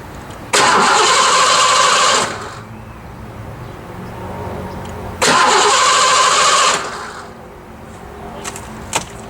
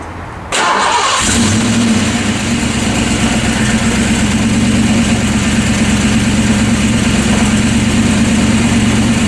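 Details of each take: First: 5.0 Fox Body Mustang after an accident: two short cranking bursts, starter spinning steadily, no firing and no fuel pump sound; a tripped inertia switch likely cut the fuel pump. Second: Ford Fox Body Mustang 5.0 after an accident, started after resetting the fuel pump inertia switch behind the hatch panel: quiet, then the engine catches at about half a second and settles into a steady, even idle with a smooth low rumble. Normal idle.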